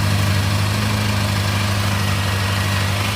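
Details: TSX at idle, warming up, after redoing the custom exhaust with stock mufflers: low loose rattle over a steady idle; owner suspects the clutch throwout bearing, and a heat shield rattle is also noted.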